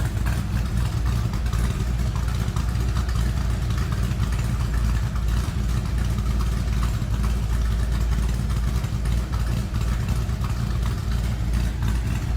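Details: 1930 Ford Model A street rod pickup with Edelbrock 4-barrel, just after a cold start: deep, steady low rumble at an even idle with no knocks, misses or hunting; normal healthy idle.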